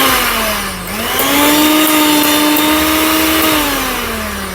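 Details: Preethi mixer grinder after bush repair, run with the coupling fitted: a steady high motor whine dips briefly, climbs back and holds even, with no grinding; it runs normally, though the coupling has one broken tooth and needs replacing.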